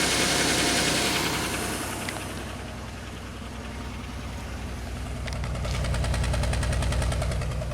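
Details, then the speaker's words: 2003 Pontiac Grand Am GT after upper-end rebuild, cold morning: idle stumbles steadily about three beats a second with a recurring uneven chuff; miss at idle, warning light flashing, cause not yet known. "now it's got a miss hmm it looks like a smoothing out no oh that's weird"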